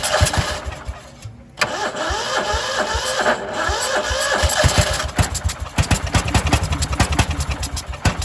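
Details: Cub Cadet 2146 lawn tractor, 14 hp single-cylinder Linamar engine, sat 3 years; frozen choke, weak battery, full throttle: starter churns in uneven bursts, then sputtering firing pulses that never settle into steady idle; hard starting.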